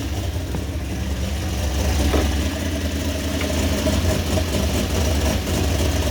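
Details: Toyota 1JZ engine in a van, first start after fitting upgraded head and 282 cams; deep loping uneven idle with a brief throttle blip, healthy: lumpy idle from the performance cams.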